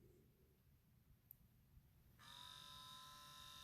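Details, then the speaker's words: Panasonic Arc 5 shaver automatic cleaning station on clean-and-dry cycle: quiet, then a steady high pump hum starts after about two seconds and holds evenly; normal cleaning cycle. "You hear that sound? So right now it's cleaning."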